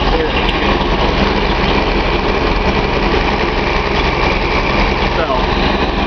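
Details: Nissan 280Z L28 six-cylinder at idle: faintly uneven lumpy beat, no sharp knocks, one cylinder dropping out; owner suspects cylinder 6 injector blockage.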